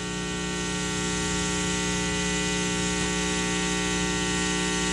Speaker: right this is a bad 60 hertz home now it does sort of go away when i turn the volume down